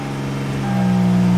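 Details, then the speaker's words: 2011 Hyundai Genesis 3.8L, crank-no-start case, after the fuel supply line is refitted following fuel pump testing: the engine starts and settles into a smooth, steady hum. "it started baby so as you can see the hyundai just started"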